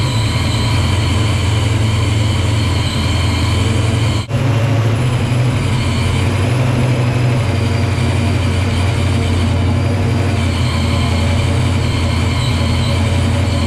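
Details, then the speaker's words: Supercharged 306 Fox-body Mustang with new Anderson N51HR cam, first run: loud, heavy steady drone with one brief stumble; rough running, timing off, possibly a tooth off, not confirmed. "sounds like it's going to hit pretty good but we're not there yet obviously the timing's off on it"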